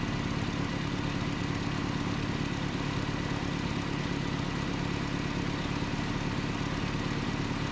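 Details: 1988 Nissan D21 truck, 2.4L Z24 engine, vacuum line repair: steady, even idle with a smooth low rumble and no surging or stumbling; normal idle.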